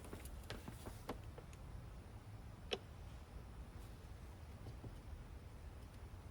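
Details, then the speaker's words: Mercedes-Benz S600 W220 V12, a replacement central locking vacuum pump from eBay just plugged in while lock and unlock are pressed on the key: only faint clicks and no buzz of vacuum building. The replacement pump is defective. "no buzzing great I'm here to really click it inside but it should be making a buzzing noise garbage pump 200 bucks wasted on eBay"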